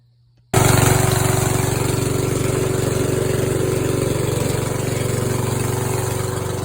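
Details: Scrapyard Yard Machines riding tractor, 14 hp engine, after valves adjusted and broken flywheel key replaced with a homemade steel key: catches and settles into a steady, even idle, about four beats a second, no knocks or misses.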